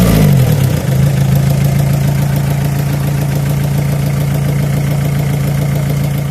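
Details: 2001 Renault Scenic 1.9 DTI diesel started after water pump replacement and coolant refill/bleeding, warming to operating temperature: catches, flares briefly, then holds a steady, even idle clatter with no misses or odd noises; fan runs and no leaks found. Normal idle.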